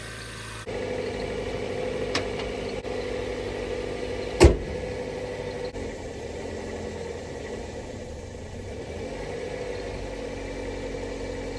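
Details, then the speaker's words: Nissan 300ZX started after a weak battery reading about 10 volts was trickle-charged with a booster box: smooth, steady hum held well above normal idle with no dip or hunt; high idle. "Everything sounds good. It's just running very high."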